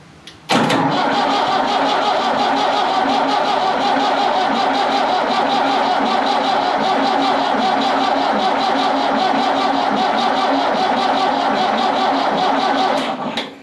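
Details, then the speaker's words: Ford 5600 tractor diesel after injection pump removal and reinstall, timing mark set at zero: steady rhythmic cranking over twelve seconds without firing, no smoke; air in the fuel system, injector lines cracked to bleed it. "no smoke yet so I'm gonna crack these injector lines"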